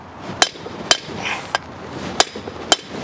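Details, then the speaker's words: Dually GMT400 Chevy/GMC rear disc brake conversion, hammering a bearing race in: sharp blows about every half second, each ringing briefly, turning to a dead sound once the race bottoms out and is fully seated. "now you're gonna hear a different sound once it bottoms out you know you're bottomed out and you hear that sound"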